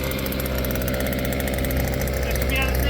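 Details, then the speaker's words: Cheap 2.3 HP petrol outboard, a simple weed-whacker-type engine with throttle control, after priming and choke: steady, even buzz with no stumbles, surging or rattles; starts on second pull, normal running. "But it starts the second pull every single time. Second pull every time. It worked like a champ. It goes like a champ."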